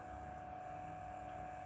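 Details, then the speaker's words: New DF64 flat-burr single-dose coffee grinder, first switch-on, empty with no beans: a quiet, steady, even whir with no rattle or scraping; normal motor running. "it's actually very very quiet oh my god"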